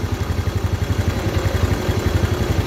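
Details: Motorcycle after a rough top-end (cylinder head) knocking noise was fixed and oil had risen to the head: even idle, about ten low thumps a second, rough knocking gone.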